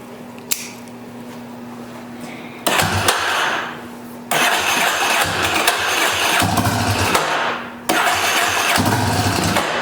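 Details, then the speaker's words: Yamaha Warrior 350 ATV single-cylinder after bottom- and top-end rebuild: fires readily, blips and settles into steady thumping idle, no knocks or misses; little exhaust smoke only from spilled oil, possibly loading up slightly; normal start and idle. "all in all it sounds sounds good like I said I'm let it cool off a little bit I didn't see any smoke coming out the exhaust"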